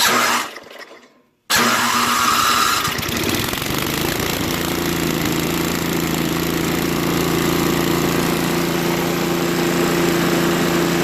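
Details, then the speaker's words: Craftsman 524 track-drive snowblower that only ran on 75% to full choke, after quick float-bowl and jet-nut carb clean, electric start test: starter catches, engine settles straight into smooth, even idle with no hunting. "well it even runs well and idle no that's very good so we know that the starter works runs well at idle and it will grow warm up you know"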